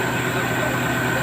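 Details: Nissan Cube, no-start traced to flat battery after sitting unused, now charged: even, steady idle hum with no misfire, surging or knocking; normal idle.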